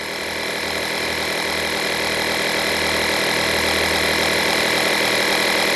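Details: Stanley FatMax portable compressor inflating a flat tire set to 12 PSI: steady high-pitched buzzing drone of small piston pump, unbroken; cuts off automatically at 11.9 PSI, working well.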